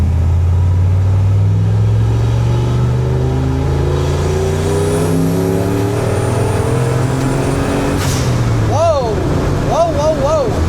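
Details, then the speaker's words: 1976 Ford F250 with turbocharged 331 engine, previously weak, after finding the fault: deep note climbs smoothly through pull at about 15 psi boost, no stumble or knock; strong healthy run. "That's way better. I don't know what I got to give me a boost gauge. I I mean, this thing yows up."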